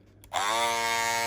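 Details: Andis Masters cordless clipper after repair: clicks on and settles into a steady, even buzz with no rattle or chatter. The loose internal part that stopped pushing up on the blade, causing vibration and loudness, was fixed with a temporary repair until a replacement arrives.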